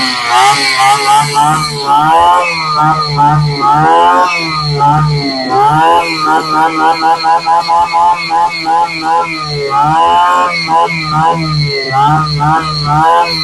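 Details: Tanaka SUM328 two-stroke grass trimmer that would not start, serviced with the filter refitted and fuel filled: high buzzy note rising and falling with throttle, keeps running without dying; runs properly.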